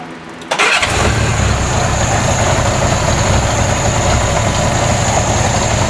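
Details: Engine with VW plenum and straight 1-inch intake runners idling busily with a thin steady hiss, recorded before closing a few pinhole vacuum leaks around the intake.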